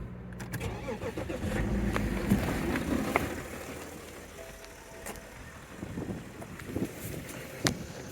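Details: 2008 BMW 330d diesel with excessive smoke and a lumpy idle for the first minute after cold start. Cranks, catches, then settles into an uneven, lumpy idle that clears as it warms. Glow plug activation fault.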